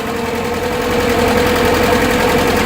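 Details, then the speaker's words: Atomic 4 boat engine idling: steady, even chuff with no misses, knocks or rasp; sounds much better, needs a new gasket. "yeah I gotta make a new gasket for that oh it sounds so much better"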